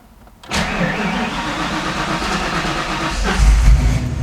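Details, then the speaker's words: 1993 Ford Mustang Foxbody with Holley Terminator X EFI, new throttle body, after TPS reconfiguration and ECM reset, engine warm: brief crank, catches and runs uneven and labored at first while IAC settles (at 25, dropping); still hard starting when warm. "Still hard on the startup, but the car is warm and It's trying to figure it out right now."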